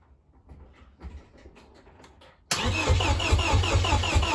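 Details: Vauxhall Mk3 Astra GSi unused since 2007, about 10 years stored, first crank on a jump pack after wiring and fuel pipe repairs: a few quiet clicks, then a steady even churning crank, but the engine never catches. Cranks, no start.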